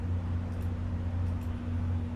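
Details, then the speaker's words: SMC DJ-52 ceiling fan with a four-spotlight kit, on a solid-state speed control at a low setting of about 0.2; a very slight, steady low hum under a soft whoosh, without buzzing; motor hum on solid-state speed control. "Sometimes SMCs just don't play well on solid state controls. You're very slight hum from it."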